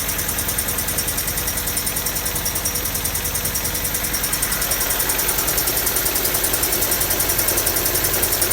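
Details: Honda D16Y7/Y8 "MiniMe" engine at rough idle with a steady rapid knock, three or four per second, possibly bottom end; owner suspects a spun bearing from too much nitrous, unconfirmed.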